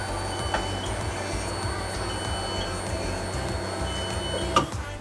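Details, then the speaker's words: Nissan R32 Skyline GTS-T Type M, newly installed AEM E85 340lph fuel pump replacing rusty stock pump, camera at rear: faint steady electric whine for several seconds at key-on, louder burst at end; normal fuel pump priming. "So let's turn the car on and see if it'll prime the fuel pump, and then if it'll start the car."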